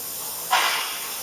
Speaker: you know it's venting because this little gadget here where the steam comes out if there's a constant rise of student of it and it makes a noise so I'll bring you back when this is venting and you'll be able to see what I mean